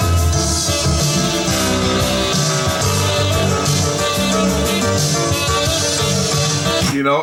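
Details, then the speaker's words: Sony TC854 4-channel reel-to-reel damaged in a fall: music playback wavers slowly in pitch, wobbling once per reel turn; bent, pushed-in hub drags and raises tape tension, causing heavy wow; hub likely needs replacing. "I think this hub's going to have to be replaced because I think there's drag just from the thing being bent I think there's drag there um it sounds like a a lot of wow in there doesn't it"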